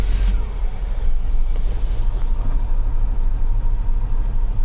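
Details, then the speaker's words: Mercedes W126 300SEL pulled from a damp flooded basement, after fuel distributor repair and fuel float replacement, air conditioning off: starts right away into a steady, even idle with no misses; all cylinders compress at 11. "It started right away."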